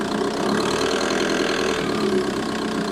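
Steady diesel idle with a fast light tick riding on top, constant with the engine; source of the ticking not pinned down.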